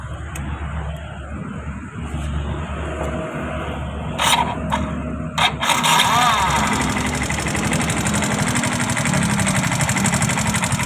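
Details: Yamaha Fino scooter: after starting it settles into a harsh, gritty, uneven idle with a coarse mechanical rasp; rough running, cause not obvious.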